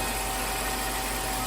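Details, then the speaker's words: 2007 Chrysler Town & Country V6 after a new ignition coil pack and cleared codes: idles evenly with a steady hum, no stutter or rocking as before the repair. "all right I like the sound of that so far this is way different"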